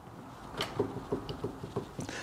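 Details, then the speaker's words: Land Rover Defender 110 prop shaft removed, rocked by hand: soft dull clicks from play in worn universal joint, to be replaced with new UJ. "so what I'm going to do is put a new UJ a new universal joint into this prop shaft and that should cure its problems because uh if you can hear this one"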